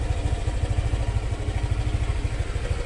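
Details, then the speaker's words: Scooter after maintenance: CVT and throttle body cleaned, fuel filter and spark plug replaced. The earlier grinding noise was just dirt. It now gives a steady, even low putter with no grinding or scraping. Normal idle after cleaning. "Tahimik na Tahimik na. Hindi na siya yung para may ginigiling sa loob. Tahimik na."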